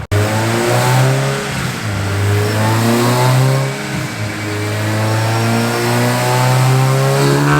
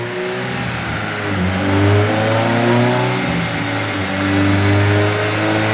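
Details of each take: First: Engine on final dyno pull after map cleanup eliminated the top-end misfire: strong, even rising note with no stutter, sounds healthy; tuner suspects one injector leaking fuel on decel causing a slight stumble, and header airflow is short. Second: VTEC engine on dyno, first pull after cleaning injectors and inline fuel filter and changing crank position sensor: revs hard but the note flutters and stumbles, misfire under load; owner suspects VTEC engagement issue or fueling.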